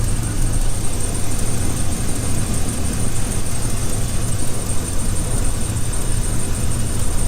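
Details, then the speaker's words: 2016 Dodge Grand Caravan idling with a massive misfire and P0300 code: low, uneven, lumpy stumbling beat with exhaust chuff; a coil tester shows one ignition coil dead. There is also a leaking exhaust manifold donut gasket. "so we need to do that and it's got a massive misfire so let uh let me show you"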